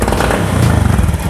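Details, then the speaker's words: Honda Beat FI injection scooter, hard pull complaint: engine chugs and stumbles unevenly as throttle opens before power builds, can even stall, poor throttle response; TP sensor, dirty spark plug or air filter suspected, not confirmed. "Mesinnya tersendat-sendat dulu sebelum tenaganya meningkat. Seperti itu. Jadi, respons akseleratornya juga tidak tepat."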